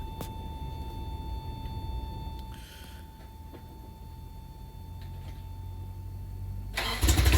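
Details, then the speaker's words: Freshly rebuilt Toyota 4Runner 22RE petrol engine, first-gen, at first start: sounded a little weird at first then smoothed into a steady high idle, with the power steering pump whining (screaming). "but yeah she fired right up kind of sound a little weird at first but then it just smooth right out went into high [Music] idle"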